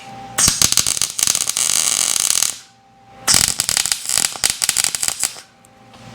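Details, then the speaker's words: MIG welding new lower control arm gussets on a Mercedes R107 subframe; harsh irregular popping crackle in two bursts, heavy spatter, suspected from a magnet near the weld, expected to clear once removed. "Hear that splatter? That's because of that magnet. It'll be okay after after we remove that."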